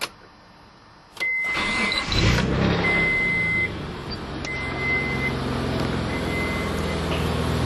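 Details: Mitsubishi 3000GT/Dodge Stealth twin-turbo, day after spinning the #4 rod bearing, last start before teardown: after the start and dash chime, a light, steady rod-knock tapping under the idle and revs; full rebuild followed.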